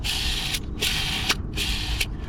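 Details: Mini Cooper S R53 clutch release bearing, removed with the gearbox, giving dry rough rasping in short bursts when spun by hand; possibly worn, hard to say; a new release bearing is on hand.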